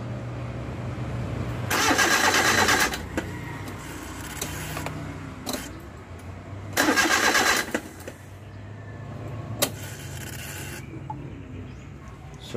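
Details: Suzuki Multicab K6A no-start: two spells of steady starter cranking, about a second each, engine never fires; cranks but won't start.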